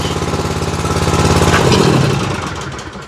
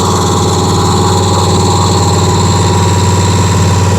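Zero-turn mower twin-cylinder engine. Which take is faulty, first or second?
first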